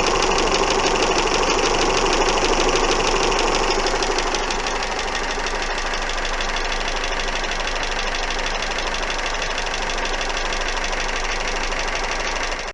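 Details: Steady engine idle with a sharp, regular knock about three per second that never lets up; persistent knock of unknown cause.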